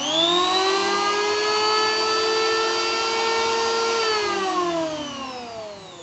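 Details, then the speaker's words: BULL BL0900 electric wood planer (220 V, 500 W, 16,000 rpm no-load) running unloaded: steady high whine at full speed with no rattle or grinding, then a smooth coast-down. Normal no-load running. "Suaranya cukup mantap, kan? Sangat menyenangkan mendengarnya. Ini lancar. Tidak ada suara bising yang mengganggu."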